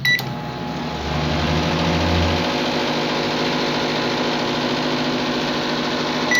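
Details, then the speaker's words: Microwave that made noise and wouldn't heat, after replacing capacitor and diode, fan disconnected: keypad beep, then steady even transformer hum, normal running, ending on a beep. "solamente está escuchando el transformador el ruido normal"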